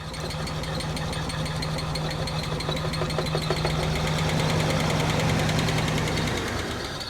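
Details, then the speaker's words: Abandoned Nissan Skyline R34 RB engine at idle after a bottle of injector cleaner: rough, busy idle with a steady knocking patter about three per second; not misfiring when revved, cause unclear. "On idles, you did hear it, it was making a lot of noise. Probably a lot of you guys are going to be commenting earlier in the video saying, hey, that RB is making a bit too much noise and it doesn't sound right."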